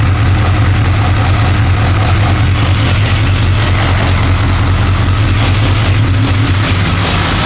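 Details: BMW K1200 R, previously rough and cutting out, after diagnostic reset of injection adaptation values; sat two years: steady even low idle, no surging, warm at just over 100 degrees with fan on; runs normally, slight clutch rattle.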